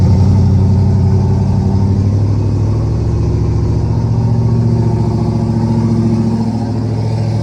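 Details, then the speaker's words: Turbo Coyote swapped Fox body Mustang, first start after fuel priming, warming up: catches and settles into steady even idle with deep lumpy exhaust, no misses; 30 psi oil pressure at idle, gauge reads low. "30 PSI at idle is [Music] perfect that's perfect guys"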